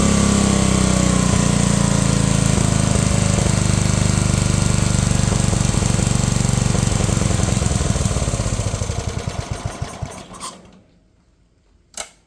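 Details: Unknown-year childhood riding mower/ATV with many miles, throttle set high, in neutral, damp morning: small engine runs flat out at steady high speed, no drop toward idle before shutting off; owner suspects governor needs adjusting, unconfirmed.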